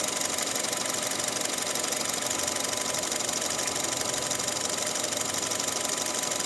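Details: Engine run on Pertalite for nearly a year after switching from Pertamax, owner unsure if the noise is normal: fast, fairly even ticking about twice a second over a steady idle; could be valve clatter or knocking.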